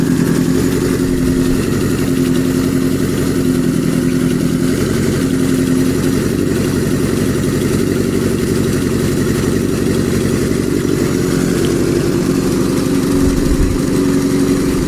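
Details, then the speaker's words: Kawasaki Z650B four-cylinder being restored, running on uncleaned substitute F2 carburettors with clear jets, now firing on all four with number one pipe warming: smooth, even idle, no stumbles or misfires. "that sounds okay as well so these carbs haven't been taken apart yet"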